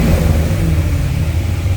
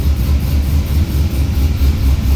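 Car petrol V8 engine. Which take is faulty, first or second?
second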